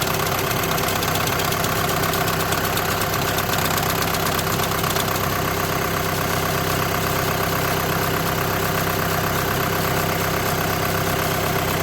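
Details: 2008–2014 VW with DSG gearbox at idle: a constant hum with a light rhythmic chatter near two per second underneath. The diagnosis is DSG clutch plate vibration, with the plate bearing also tagged.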